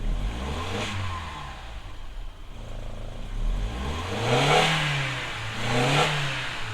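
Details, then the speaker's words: Audi TT at idle: each throttle press lags about 1–2 seconds before revs pick up, sluggish response; OBD codes for thermostat heater circuit open, camshaft position sensor and mass air flow circuit low, cause unconfirmed. "when you press the throttle there's a terrible lag of maybe 1-2 seconds before it picks up revs."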